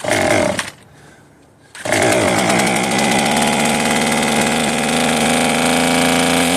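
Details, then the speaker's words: Cheap modern two-stroke chainsaw from a marketplace find, used (chain wear on clutch gear), running on old fuel still in its tank; after a brief pause it settles into a steady even buzz, no surging or stalling. Normal idle. "There we go. It hasn't died yet. Is there fuel in this thing? There must still be good fuel in this tank, and the carburetor is actually functioning."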